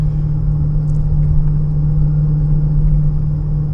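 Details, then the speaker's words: 2015 Honda Pilot, 64,000 miles, driving 25–40 mph on hot day: steady low droning whine, louder when steering left, quieter right; likely driver's-side wheel bearing rather than transfer case. "so on a bearing anytime you pull to either side increasing noise level okay that would lightly the bearing"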